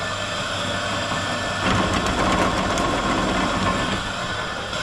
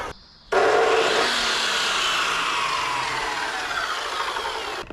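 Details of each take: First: Big drill press run unloaded from an EcoFlow Delta 2 battery power station, drawing 560 watts doing nothing: steady motor whir that swells a little mid-clip then settles, no grinding, rattling or labouring; healthy. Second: 2,200 W drop saw run from an EcoFlow Delta 2 battery power station. The motor spins up to a steady high whine, sags slightly, then cuts out abruptly: an overload cutout, as the unit cannot supply this saw.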